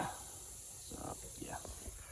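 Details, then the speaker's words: M35A2 truck, bonnet up: steady high hiss of compressed air from the pipe running from the compressor to the main air line, holed where it rubbed on the radiator. Air brake line leak. "Bonnet is currently up cuz I'm chasing an air leak which you can hear hising way down there it's going from this pipe here from the compressor down into the main line"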